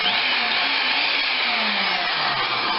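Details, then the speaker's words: Skilsaw SPT77WML 7-1/4" worm drive circular saw (saw 3) on a test run; smooth steady high whine at full speed, sounds good, but it coasts to a stop quicker than the others, possibly from wear or less grease; no big brush sparks. "This one sounds good. It does come to a stop quicker than the other ones. Doesn't make it a bad saw, just possibly more worn or less grease."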